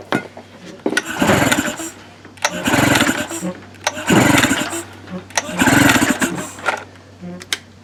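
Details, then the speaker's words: Tracker (Mercury Marine) 9.9HP outboard, unused for a year, cranked with starting fluid sprayed into the carburetor throat: four cranking bursts with brief pops but no catch; spark and compression confirmed, so the problem is fuel/carburetion. "all right so you can see it wanting to fire there so that confirms that we've got compression and we've got spark and our issue is carburation our issue is fuel"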